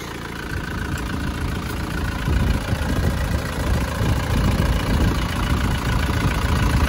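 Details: Panther diesel pickup after repairing an oil leak from a non-original gasket fitted without sealant: even rumble rising gently with throttle, no knocks or misses, though a slight rattle of loose plates is noted; normal revving.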